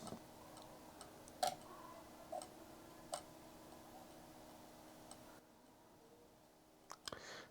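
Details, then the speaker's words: Sony PlayStation 2, CD inserted: sparse light ticks about once a second with no steady spin-up. The drive fails to read CD media; it ejects fine but the tray is wobbly. "I don't like the sound of that drive but it ejected fine"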